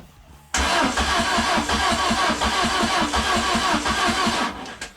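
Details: Peugeot 106 with swapped XU7JP4 engine after harness work and the immobilizer code procedure: starter cranks at about three beats a second, never fires; no ignition seen, owner doubts the blackened spark plug.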